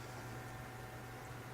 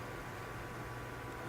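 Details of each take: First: PC case fans slowed by a Phobya splitter fix after running too loudly at 100%, heard with the side panels off; a soft, steady low hum with an even airy hiss and no ticking or rattle; running slowly and quietly as intended. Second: PC case fans on a Phobya PWM splitter, side panels off: steady loud airy rush with faint constant hum, fans stuck at 100% speed, likely splitter wiring/connection problem.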